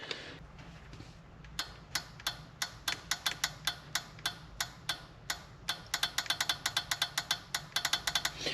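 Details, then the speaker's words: Polaris RZR 900 fuel injector bench-tested with alligator clips, making crisp, bright clicks in quick bursts; it is opening and closing properly. "can hear it clicking. So we know this was opening as well."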